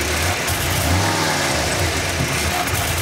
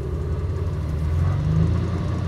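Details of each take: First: 1988/89 Ford F-150, EEC IV system, fuel pressure about 48 psi; snap throttle brings a dull pop back through the intake and a stumble/breakup before revs climb; hesitation not a fuel pressure problem, cause not yet found. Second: 1988 Ford F150 with EEC IV and hesitation problem, during key-on engine-running self-test at idle: steady low rumble swelling mid-clip as rpm rises while the computer tests the idle air control valve; normal idle speed rise.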